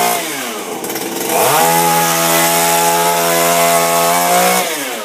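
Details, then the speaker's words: Refurbished Shindaiwa power broom two-stroke with new carburetor, gaskets and recoil, no air filter fitted: crisp high buzz climbs smoothly to full revs, holds steady without stumbling, eases back down; normal running. "you can hear it moving in there bad that's a good thing she's popping that's a positive"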